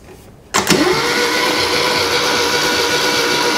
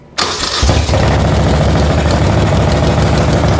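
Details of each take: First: 1975 Moto Guzzi 850T unused for over 10 years, starter jumped with a wire, good compression. After a click the starter spins at a steady whir with no firing, so the engine turns over but won't start. Switch bad; points probably need cleaning, suspected. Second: 1975 Moto Guzzi 850T abandoned over 10 years starts after a carburetor clean, fresh fuel with two-stroke oil and a jumper wire: starter catches quickly and settles into a smooth, steady idle; oil not yet checked, run briefly.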